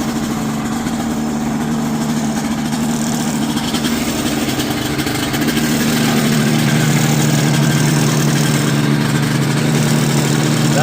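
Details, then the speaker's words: Two-stroke aircraft engine on a plane, fired right up second try after re-priming, with the battery held by Velcro and zip tie: runs smooth and steady, then picks up speed around six seconds and holds without sputtering; running healthy. "I'm not sure if it has done that with the other battery, but it fired right up second try. I just had to prime it again."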